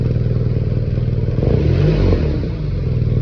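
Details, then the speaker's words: BMW R nineT boxer engine after a repair for a connecting-rod problem caused by an oil level left unchecked for almost 5,000 km, on its second start with a new spark plug: smooth even idle, steady low throb, no knocking; normal. "de bruit et un moteur qui ronronne on va aller l'essayer"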